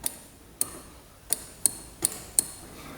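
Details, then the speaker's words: 2005 Yamaha Grizzly 660 ATV, non-running, mouse nest found, battery hooked up: nothing lights, ignition key on/off gives sharp single clicks at uneven intervals with no cranking; owner suspects a bad relay, fuse box checked next. "I can hear something clicking over here. Almost like one of the relays is bad."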